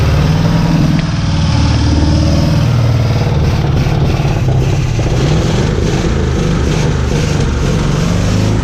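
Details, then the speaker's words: 56-year-old Oldsmobile Rocket 88 V8, stood over 20 years, empty tank and likely clogged lines, fresh fuel poured down the carb: catches and runs with a steady deep rumble only on that primed fuel. "56-year-old car, stood for 20 years, little bit of fuel, dodgy little key, and she fires up and runs."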